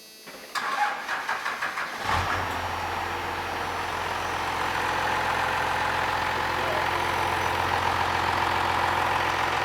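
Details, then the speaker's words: 12-valve Cummins diesel after going in one click on the governor springs, on a weakening battery: brief cranking, then it fires and holds a dead steady idle with no governor bounce or hunting; normal idle. "but I can tell you right now going in one click on the governor Springs has eliminated all of that Governor bounce so it's dead steady and dead stable"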